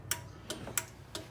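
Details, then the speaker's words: Newly wired 1JZ-swapped 240SX: the flasher relay clicks crisply and evenly about every third of a second with the blinker switched on, so the turn signal works normally. "Alright, you can hear the relay clicking, the flash relay, and sure enough, it's working."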